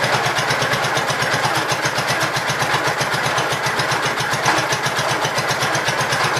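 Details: Gravely Pro 12 single-cylinder, choke on, just above idle: even steady rapid firing, no knocking; deck not turning easily; mechanically sound.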